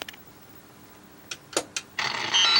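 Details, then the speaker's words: Taito Chase HQ arcade PCB after fitting English speech mask ROMs from another board: near silence, sharp blips, then harsh hissy crackle instead of speech. One ROM reads as bad contact on many pins, likely internal shorts. Faulty speech ROM. "That doesn't work at all. That sounds awful. So I've read the mask ROMs in using my EEPROM programmer and found one of them is messed up."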